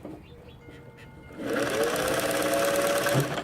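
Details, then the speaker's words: Singer 503A slant sewing machine, secondhand before restoration, not yet oiled or cleaned: motor starts and settles into steady whir with rising tone, running a little slow; needs oiling and cleaning. "you can hear it it's a little slow so it probably well probably nothing needs to be cleaned up for sure"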